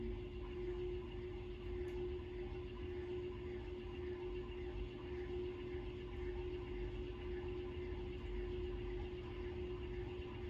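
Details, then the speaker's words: 1916 Century closed-top antique ceiling fan after bearing work and added lights, running on low: quiet, steady low hum with one faint constant tone, no ticking, scraping or wobble; running smoothly. "Let's start it off on low, or the closest thing to low this thing's gonna have."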